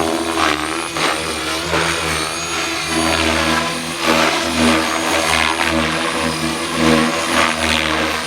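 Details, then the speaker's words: Blade Fusion 480 Stretch RC helicopter with Spektrum 6250HX flight controller, during tuning flights: steady rotor hum softening and dipping in pitch near the end; power fading, likely a low battery. "Sounds like our battery's getting low."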